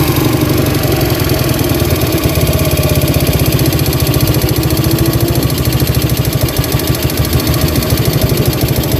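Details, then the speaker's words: Yamaha Vega RR that keeps stalling, already disassembled without a cure: single-cylinder idle with a steady metallic metal-on-metal tick on each firing pulse, loudest on the right side, softer on the left and at the head; rod knock. "kita dengarkan kreteknya ya di sebelah sini itu kenceng banget ya di ujung bagian sini itu kenceng banget kemeleteknya ini terkadang hilang ya kempleteknya ini terkadang jelas banget bahwa dia itu besi ketemu besi ya"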